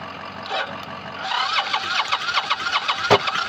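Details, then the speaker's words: Motorcycle out of fuel for four months, fuel pump not engaging, cranking: steady starter turning about two to three revs a second with a single sharp pop, never catches; fuel starvation to the carbs, owner plans new pump, battery, solenoid. "Yeah, that's it. because it um this thing won't feed fuel to the carbs."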